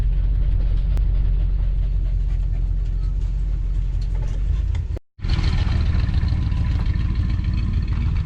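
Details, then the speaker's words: 1987 Coachmen Class A motorhome engine running during a test drive after a freshly rebuilt transmission was installed; deep steady rumble, even beat, no stumbles or knocks, runs smoothly. "she just sounds good it's sounding really good running really smooth that sounds good except for up here we'll get to that"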